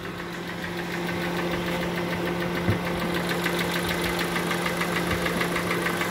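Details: 2014 Kia Sportage, 2.4 G4NA engine, about 147,000 km, not yet warmed up, before repair: steady, fast metallic tapping over the idle, an internal engine knock; scoring suspected, not confirmed.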